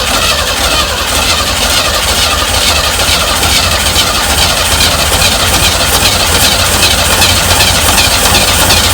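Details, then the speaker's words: 1965 Chevy van six-cylinder, sitting about 50 years, new starter, unleaded squirted in: steady cranking churn with brief firing catches, never settling into idle; fires but won't keep running, best it has sounded yet. Cause suspected, not confirmed. "That sounded promising there, I'll be honest with you. I think that's the best it's sounded since I started."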